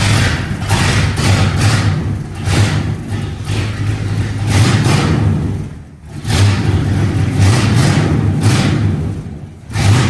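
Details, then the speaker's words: 1966 Lincoln Continental V8, first run after 2+ years: a deep, loud, fully unmuffled rumble with heavy thumps as the throttle opens and closes. There is zero muffler and the remaining exhaust drags on the asphalt. "it's very very loud it has zero Muffler what exhaust we do have is currently being ground up against the asphal"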